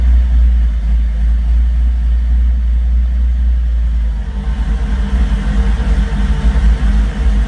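Uneven, lumpy idle with an irregular low thump and a brief rev near the middle; the engine is idling rough, cause unclear.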